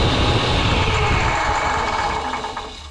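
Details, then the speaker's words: Table saw bumped on and coasting down: a fast, dry, slightly crunchy tick about three times a second; worn arbor bearings suspected, unconfirmed, before blade removal and maintenance. "There was a bit of ticking coming, so I'm gonna fire up the sled, and we'll see if we can get her. I'm just gonna bump it, and then we can hear it ticking. I think it's the bearings that are going out in the harbor."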